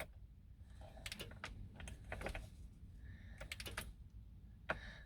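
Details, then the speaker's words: 1990 Citroen C25 (Talbot Express) diesel motorhome, engine off in a quiet cab, after cleaning the earths: faint, irregular dry clicks from the glow plug relay chattering without pulling in; faulty relay, to be replaced. "yeah it's trying isn't it well folks that didn't make any difference really did it"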